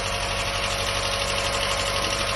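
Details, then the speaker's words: Mazda MX-5 Mk1, first start after standing about 10 years: steady idle with quick, even, loud tick over it; valvetrain ticking, owner suspects oil just circulating after long storage. "It's start! It's working! Listen to that! It's ticking a lot though."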